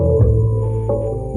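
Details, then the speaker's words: Simbadda CST Z100 active subwoofer speaker after the faulty capacitor after the IC was found, case still open. Deep, steady, loud bass throb, clean with no buzz or crackle; normal bass output restored. "Nah, ini baru normal masih. Ini belum kita tutup soalnya masih gambret masih. Nah, kalau ini normal masih."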